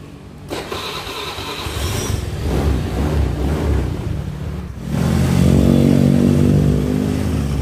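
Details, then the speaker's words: Suzuki Nex scooter after replacing two bearings in the CVT, at the rear pulley shaft and the adjoining drive: starts and revs smoothly and cleanly, the earlier growling and rough noise on throttle gone. "suaranya sudah kembali halus sudah tidak ada suara ngorok lagi atau bunyi seperti tadi"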